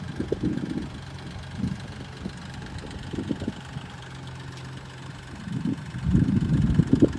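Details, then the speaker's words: BMW M235i idling at 52°F: uneven ticking and tapping that grows louder in bursts, louder near walls; engine ticking at idle, source unknown. "this ticking noise is just crazy loud it feels like especially when you're next to like a house or something like that it's just so loud"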